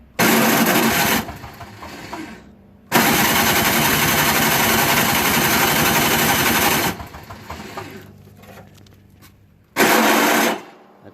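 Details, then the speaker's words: Toro Snow Commander 38602 single-stage snowblower, electric start via extension cord: harsh grinding bursts with no catch each time the starter is hit. Stripped starter motor gear; it also had very bad old gas. "sounds like that teeth are going on that one too I have a feeling I'm gonna have to take this all apart because the starter sounds like it has issues and it won't start"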